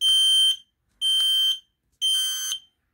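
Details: Signal 1 smoke detector test button pressed: three piercing high beeps about half a second each, one per second, with clean silence between. The test signal is working normally.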